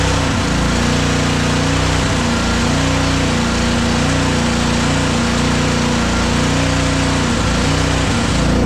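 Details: Honda GCV 190 single-cylinder on Simpson pressure washer, after carburetor cleaning (clogged tube) and reinstall: steady, even speed with no surging or misses; fuel delivery sorted, normal running.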